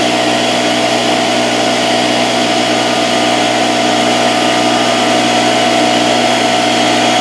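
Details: Porter-Cable 6-gallon pancake air compressor (1.5 hp, 3.5 SCFM at 90 psi), after repair of a broken copper line that had stopped it building pressure: a loud, steady motor drone with an even pumping rattle, no stalling or leak hiss. It runs normally, about 70 psi and holding.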